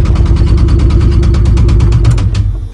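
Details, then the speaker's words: 3.3 V6 Caravan, engine destroyed by hard driving: hard regular knocking about seven raps a second over rough idle; badly worn bottom end, engine blown. "So this is what she sounds like. Knock, knock, knock. Yep, not good."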